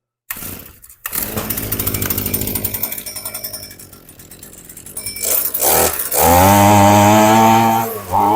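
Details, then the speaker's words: HomePro F222 two-stroke weed trimmer, after losing power and not starting because the cracked primer bulb let air in: catches after a couple of tries, then revs cleanly and holds steady. "Wow. So that's probably all it was, is air was getting in all them cracks in the primer bulb."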